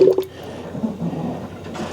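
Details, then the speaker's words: 2001 Ford Escape 2.0L during a power steering fluid flush, front raised, wheel turned back and forth: wet bubbling gurgle with uneven pops as air works out of the fluid. "I can hear it gurgling away and see bubbles coming up so we're going to do that until we get all these air bubbles out"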